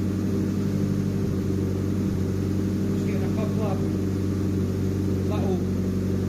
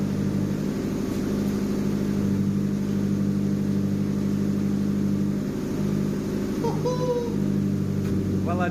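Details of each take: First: JDM Nissan Pulsar GTiR: steady lumpy idle with a couple of sharp spits, intermittent misfire-like spitting; occasional smoke rings from exhaust, owner unsure if small exhaust leaks or excess fuel, cause unclear. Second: JDM Nissan Pulsar GTiR turbo four on a freezing cold evening, after reconnecting a vacuum pipe: steady idle without cutting out, fairly even exhaust beat, faint occasional spits; owner suspects excess fuel still burning off.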